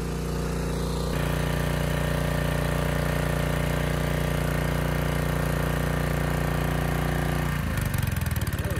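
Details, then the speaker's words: Honda EG1400x generator under 750 W load with its oil-soaked air filter refitted: steady drone that turns ragged and stumbles near the end, close to stalling; the filter restricts airflow and causes rich running, and new filter needed. "but i could tell it was running rich and i was suspicious of this filter when assembling the air box"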